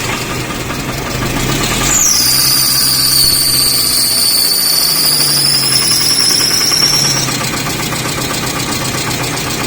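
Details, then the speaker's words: Toyota car that wouldn't start, now running: cranks briefly, catches in about two seconds, settles into steady idle with thin high whistle on top; starts fine. "दोस्तों देखिए गाड़ी start हो गया और गाड़ी side किस वजह से हुई है क्यों हुई है यह मैं आपको पूरी शक्ति बताता हूं"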